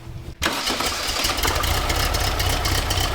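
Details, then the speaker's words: Sand rail with a newly installed replacement engine and new exhaust with muffler: quick crank and catch, then an even, steady run with a smooth low exhaust note and no knocks or misses; healthy idle, more manageable sound. "That's way more manageable. I think it's not going to cook everything. I think it's going to be okay. Sounds pretty good."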